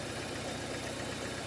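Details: 2011 Ford Ecosport, Zetec Rocam engine, misfiring on two cylinders with no current reaching the spark plugs from the coil towers. Lumpy uneven idle with loping low thump; failed ignition coil driver in the ECU.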